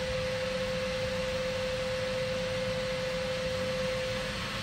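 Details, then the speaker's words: Zanussi SD 2811/W spin dryer (street find), running empty with lid and latch closed: steady mid-pitched whistle over a quiet, even whir, hardly any vibration, no knocking or wobble; healthy normal spin. "God that is very quiet hardly any vibrations on it I know it's empty but still"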